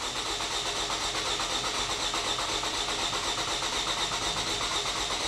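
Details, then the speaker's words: 2009 Toyota Camry with a recurring cylinder 2 misfire under load, cranking for a compression scope test: starter cranks at about four beats a second with a slightly uneven rhythm; cylinder 2 peaked near 125 psi, tapering to about 99 psi, low. "you see that compression did taper off a lot let's go back to this first page it kind of started off about I mean it's low our Peak was about 120 something here yeah 125 and then tapered down"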